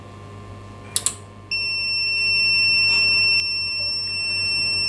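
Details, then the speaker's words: APC SRT 5kVA UPS (247 V input, fault P.16, event code 125, DC soft start fault) gives two clicks, then a steady high-pitched alarm while being silenced. Zero volts are measured where voltage should be, meaning the circuit path is not forming. "त्रुटि आने पर वह गायब हो गई। मैं alarm बंद कर रहा हूँ। अलार्म को बंद करने का नियंत्रण।"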